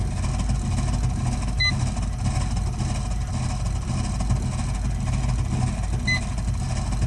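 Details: Burnham Alpine boiler with a continuing loud-noise problem: constant heavy low roar with no rhythm and two faint short beeps; the burner rumbles far louder than normal, cause unknown.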